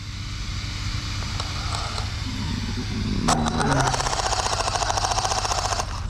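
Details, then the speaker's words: Traxxas X-Maxx RC truck fitted with an 1100kv motor: rapid uneven clattering, three or four knocks a second, rising with motor speed over a whine, after a front flip stripped three teeth off the spur gear. "That's why it sounds like that. We got 3 teeth off."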